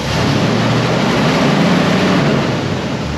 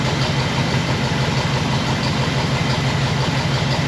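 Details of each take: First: 1960 Pontiac Bonneville, after a new mechanical fuel pump and AFB carburetor setup, idled down to about 700 rpm (spec about 600): deep, even idle rumble with no knocks or misses, with steady fan roar in the background. Normal idle. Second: 1960 Pontiac Bonneville old V8, AFB carburetor, new mechanical fuel pump, running about three minutes on one gallon of fresh fuel: rough, lumpy idle with a deep uneven beat; running pretty rich, dwell extremely high.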